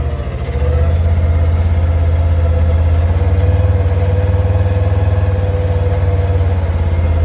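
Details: Polaris RZR (296564), engine idling in park with CVT cover on: deep, loud idle drone with uneven throbbing pulse underneath; abnormal CVT noise, cause unclear.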